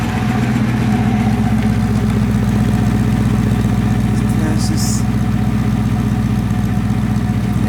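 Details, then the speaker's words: Rebuilt Porsche 928 V8 after oil change, warm after a 20–25 minute run with some hard driving: even idle with steady low burble; previous ticking gone, though it occasionally misses a beat. "sound pretty good I think not I'm not hearing that Ticky tackling noise that I could hear before um it's pretty smooth around the"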